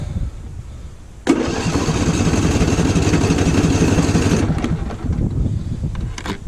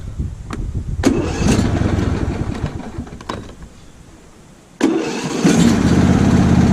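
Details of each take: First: Lawn tractor small engine freshly filled with TruFuel for winter storage: cold start catches, runs unevenly about three seconds, then sags and fades without choke; needs choke. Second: Lawn tractor small engine on fresh TruFuel for winter storage: several cranking tries and sputters, then catches and settles to a steady note on choke; starts fine with choke.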